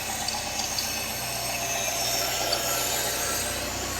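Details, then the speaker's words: 1989 Citroën CX 2500 GTi petrol, off the road since about 2007, warm idle around 75°: loud steady airy hiss over quiet idle; intake sucking noise, owner unsure whether normal intake sound or a leak, plans smoke test. "got a pretty interesting sucking noise over here is it just the intake"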